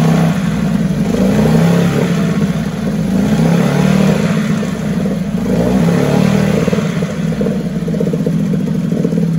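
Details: 1974 Mercury 4 hp single-cylinder two-stroke outboard, restored, easy restart from start position: even lively two-stroke running with small speed swings, no misfires or clatter; sweet easy-starting machine, normal running.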